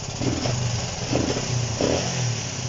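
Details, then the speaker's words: Honda CB125 RS under restoration, after fixing fuel starvation from a gravity bottle (a loose wire is suspected of causing spark issues): three quick throttle blips over idle; revs out better, but revs hesitate and sag when the throttle is snapped open. "but it revs out a lot better you'll hear it here it's just it's only if you really give it a quick one that it it will uh want to want a bog"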